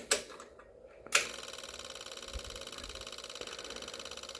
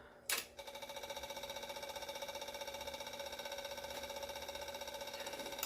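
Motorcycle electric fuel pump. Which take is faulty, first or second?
second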